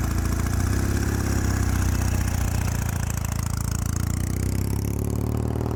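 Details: 1975 Norton vintage twin, started for a neighborhood test ride after a failed ride the day before: a deep, even thump settling into a steady low idle with no knocking or misses; the engine runs healthy.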